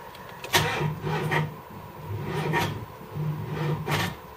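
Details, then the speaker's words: 1978 LTD on LPG, after cooling down: starter drags slowly and unevenly in weak bursts, never catching; battery terminal found snapped with only a sliver connecting, too little current for the starter; slow cranking from poor battery connection. "that was all that was connecting it the rest of it was doing nothing so that's not going to transfer enough amps for a starter like that"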